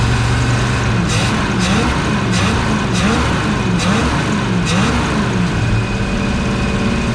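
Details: 1970 Ford Mustang Mach 1 V8 after 40 years sitting, second start try: loud deep rumble running on its own, speed wavering slightly as it settles; smoke believed from burning off Marvel Mystery Oil; running fine.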